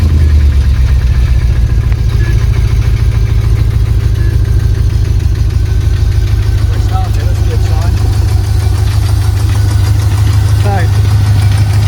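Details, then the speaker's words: Range Rover P38 V8, diagnosed with a slipped cylinder liner, idling: rough, lumpy with tapping from one side and a misfire that began during its MOT. "I don't know how well that comes out in the camera, but it's tapping on this side, which is why it was diagnosed with a"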